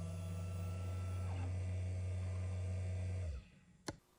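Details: Matterport Pro3 camera, VDrive lidar mirror motor at an acceptable noise level: low, steady hum with faint higher tones, then a stop and a single click; normal quiet motor hum.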